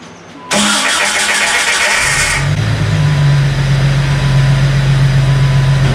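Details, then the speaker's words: 2002 Jeep Wrangler with a newly installed 4.7L stroker (replacing the 4.0) built by S&J Engines: first start. It cranks briefly, then catches into a smooth, even fast idle with a steady low drone. Normal running. "so what we're doing right now we're breaking in the cam gonna run this thing about 2 000 rpms for about 15-20 minutes but it is alive everybody"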